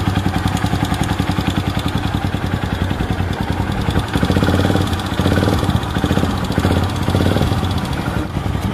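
Single-cylinder motorcycle idling with a busy, rapid clatter from the top end, caused by a worn exhaust rocker arm.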